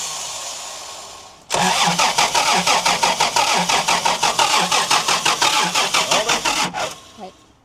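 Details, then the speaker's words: 1990 Toyota LandCruiser petrol engine sitting for years, fuel poured into the carburetor bowl after cleaning and regapping points: cranks, catches and runs about five seconds with a ragged, lumpy beat, then cuts out; tank seemingly empty, suspected. "It's only running what I tipped into it."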